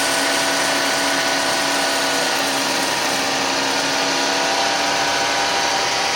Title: Suzuki Grand Vitara 2006 2.7 V6 Cold Start, wierd grinding sound...